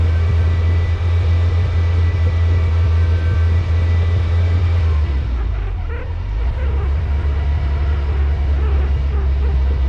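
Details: Ferrari 308 on a mountain top: deep, lumpy exhaust rumble with uneven, stumbling beats worsening as revs rise; engine misfire with loss of power.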